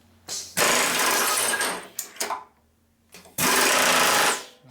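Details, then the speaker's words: Lagun vertical milling machine pneumatic power drawbar after installing an air regulator, water separator and oiler set to 80 psi: two rapid rattling hammer bursts about a second each, quiet between, no leaking hiss; air leak fixed. "okay and we got no air leak sounds like we fixed it not bad it's hard to believe that thing actually works"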